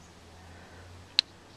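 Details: Train-Li R7 model railway turnout reed switch, magnetized deck screw moved away: a single sharp, high click as the reed relay switches normally over a quiet room hum.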